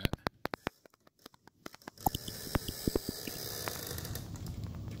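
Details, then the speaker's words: 2000–2005 Ford Excursion rear backup sensor, microphone right at the sensor: faint, even ticking a couple of times a second, showing the sensor is working; silent sensors are bad. "see if you can hear the clicking it's sort of a click like click like click like that's what you're listening for"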